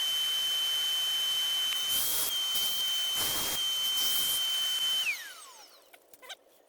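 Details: Ricoh IM C2000 copier after grinding-noise repair, gears now rotating freely: steady high-pitched motor whine with soft feed rustles, then smooth spin-down, no grinding.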